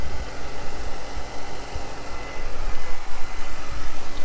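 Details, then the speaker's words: 1990s Mercedes C36 AMG, 3.6-liter inline six, 143,000 miles, check-oil-level light on though dipstick level is good: fires right up and settles to a deep, steady, smooth idle with no misses, rattles or knocks; normal. "But let's crank it over. Fires right up, idles smoothly."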